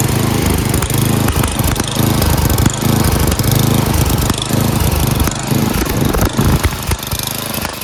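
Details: Craftsman 928 snowblower, 9 hp Tecumseh engine, before repair on choke at full throttle: uneven running whose speed keeps dipping and picking back up, near stalling. Engine surging; it stalls halfway down the throttle and the carburetor needs cleaning.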